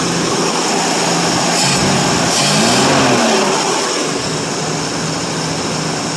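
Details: 1952 Ford Customline 239 cubic inch flathead V8, about 138,000 miles, glass-pack exhaust, just cold started: even, steady idle with a soft regular beat under outdoor hiss, no knocks or misses, about 40 psi oil pressure; running smoothly.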